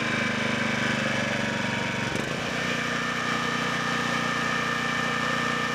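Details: Low-hours 11hp Generac generator engine, generator head burnt out, after freeing stuck carburetor idle control: steady, even single-cylinder beat at constant speed, no misses or knocks, no load; running smoothly.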